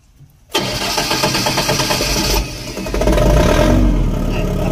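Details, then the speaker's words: Engine with a speed controller, hard starting, needing about five attempts: quiet, then a sudden catch into a rough, uneven run that takes seconds to steady; adjusting the speed controller gain being tried, cause not confirmed. "Ganon matagal siya magano o Limang beses niyang ita-try bago magstart"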